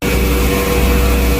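A constant low droning hum sits under the road rush with no knocks or clicks, the typical growl of a worn wheel bearing.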